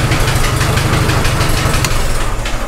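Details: Farmall H tractor petrol engine at slow idle: heavy rhythmic knock in time with the engine, traced to the head, not the tappets.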